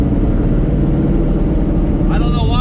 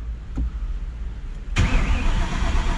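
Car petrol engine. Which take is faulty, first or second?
second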